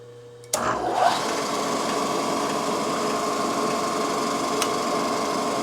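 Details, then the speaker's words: Drilling out the very hard rivets during a clutch basket repair on a Yamaha YL2C Trailmaster 100: a steady, high drill whine with a short squeal as the bit first bites into the hard metal. "You can see that you can hear it. It's squeaking when it first starts off. It is really hard."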